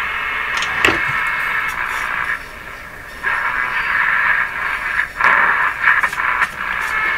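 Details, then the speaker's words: RCA Victor A23 tube radio on the AM band at full power after repairing the damaged antenna coil (now about 2 ohms): hissy, crackling signal with faint audio drifting through at steady level; AM reception normal. "Let's give it full power. AM band. She's definitely receiving."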